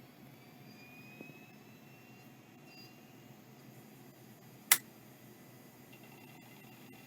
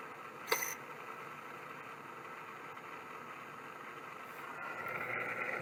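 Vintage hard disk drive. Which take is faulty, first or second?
second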